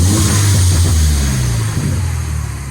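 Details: Mini Cooper S revved after a new high pressure fuel pump cured a crank-no-start; revs rise and fall cleanly with no stumble or hesitation; actual and wanted fuel pressure track together.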